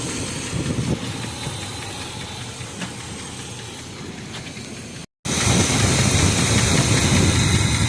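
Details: 1986 Chevrolet K5 Blazer V8 after timing and newer carb, long unused: rough idle with a regular low knock about three beats a second; source unknown.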